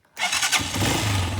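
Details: Gatoma GT150A motorcycle, warm after a 10 km ride, restarted on its year-old battery: brief starter whir, then the engine catches within a fraction of a second and settles into a steady run; normal electric start, battery still judged bad.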